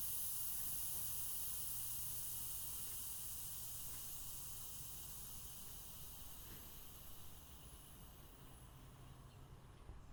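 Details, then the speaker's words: 2001 Audi TT just after engine shut-off: steady high hiss continues and slowly fades over ten seconds, pressurized air escaping through a split PCV hose; vacuum leak in the PCV system. "sometimes if there is a high pressure in the hose and there's a break you'll still hear it after the motor shut off and it's actually happening in this car and I'll show you that sound right now"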